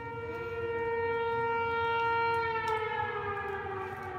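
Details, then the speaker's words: Three T128 outdoor warning sirens sounding at once, reason unknown (possibly a fire or first-Monday monthly pager test): a loud steady wailing tone holds pitch a few seconds then slides slowly downward. "There's 3 of them going off, 3 T128s. It could be the first Monday of the month pager testing, I think."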